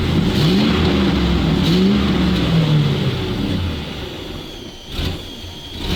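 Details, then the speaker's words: ZIL truck (ZIL-Takh) engine revs up and hangs, then sags and dips unevenly, running better after a clogged filter was removed but only intermittently holding pressure; new pump considered, cause unconfirmed; intermittent loss of power. "without a filter the car began to work better, but with varying success, sometimes it holds the pressure,"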